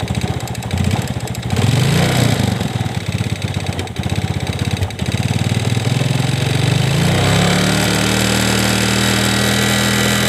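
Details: Yamaha Vega Force fuel-injected motorcycle with a new valve chain and piston, after startup: a light, fast top-end tick on the idle that rises with revs and sounds like valve-chain noise; source unconfirmed.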